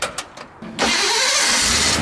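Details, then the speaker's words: Ford Bronco with Holley Sniper EFI, after a replacement starter was fitted and fuel topped up (it had likely run dry): a few quick cranks, then it fires at once and settles into a strong, steady roar. A clean, fast start. "oh wow yeah yeah guess we don't got to mess with starting timing that was crazy yeah there I got not only does it run good now it starts good too"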